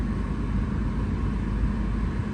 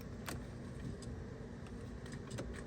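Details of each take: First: 1989-1995 BMW E34 5 Series after cabin filter and blower resistor replacement: a steady, even rush of air with a low hum and no squeal or ticking. The blower runs normally. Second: 1989-1995 BMW E34 5 Series blower fan after cabin filter and resistor replacement, key on: steady low whoosh with scattered ticks and rattles as leaves and debris fly out of the housing; fan works, air may not be cold.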